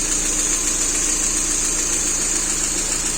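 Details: Lada Priora petrol engine at idle after hydraulic lifter flushing and valve stem seal replacement: light, uneven tapping on top as the lifters have not yet pumped up; the engine ran rough at first, then stabilised.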